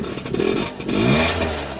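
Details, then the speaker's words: Peugeot Speedfight two-stroke moped after a fuel filter change, kickstarted: catches first time with a lot of smoke, revs up crisply then settles to a steady buzzing idle; starts and runs fine. "You get a lot of smoke come out when you go. Wow. Well, that's kickstart. That's not bad at all, is it?"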